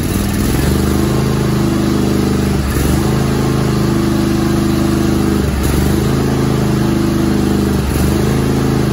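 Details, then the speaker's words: Craftsman GT5000 mower, Kohler Pro/Command 25hp twin, after carburettor clean and reinstall: steady even run with a slight speed dip every few seconds; previously ran poorly and started slowly, now running normally. "all right so we cleaned up the carburetor put it on at first as it started it took a little bit but I think you know there was no fuel in there"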